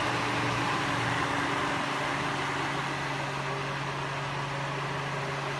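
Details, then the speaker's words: Holmes Blizzard table fan, 2004, 13 years old, thrift store find; loud steady rushing hiss over constant motor hum, louder and less powerful than a 50-year-old Westinghouse — excessive fan noise. "It's very loud. It's a lot louder than my Westinghouse table fan, which is years and years and older, and also a little less powerful."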